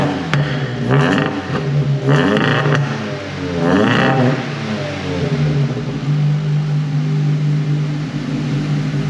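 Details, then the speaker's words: WRC Ford Focus project just revived after four years, with water in, run up to operating temperature, cooling fan cut in: revs rise and fall cleanly a few times, then settles to an even, steady idle; normal running. "so like I said we got water in it it's run up to it's run up to operating temperature cooling fan has cut in"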